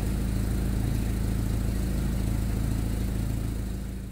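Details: Jeep starting after fuel pump and carburetor rebuild; low, even idle with a steady beat about three per second until switched off, carburetted engine running smoothly.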